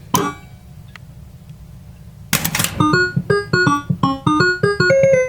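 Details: Bally Playboy pinball machine at power-on, where the board self-test blinks an LED before play: a single click, then a bright melody of quick rising notes plays cleanly; normal startup tune.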